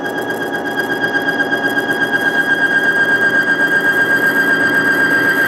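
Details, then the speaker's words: Bearing friction demonstration of an oil additive for petrol engines, with dirty oil: steady high squeal under shaft load, growing quieter as the additive works. "actually if i go like that we're really putting it in but you can hear it's actually getting quieter and quieter quite impressive wasn't it"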